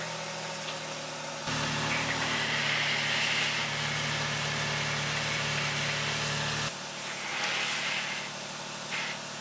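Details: Alfa Romeo Stelvio Quadrifoglio restarted after its battery was depleted in four days and disconnected: even, steady idle with low smooth hum, firming briefly under load as steering goes to lock, then settling; healthy running, some warning lights remain.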